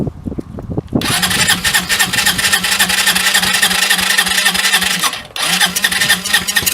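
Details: Hammerhead 250 SS single-cylinder after tune-up, fired with throttle open: fumbles a second, then idles uneven and lumpy, hunting as if set too low; owner thinks the idle needs adjusting.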